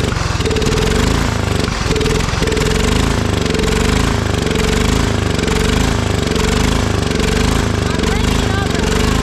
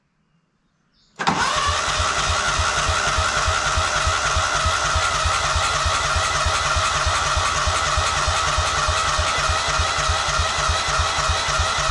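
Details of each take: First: Old Cub Cadet riding mower, sat for years in a barn, restarted on jump after disliking throttle: loud, steady single-cylinder chug idling smoothly with an even beat, no misses or knocks. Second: Old Cub Cadet riding mower, sat for years in a barn, no starting spray used, oil light off: steady rhythmic chugging about three beats a second while cranking, trying to catch but not firing up.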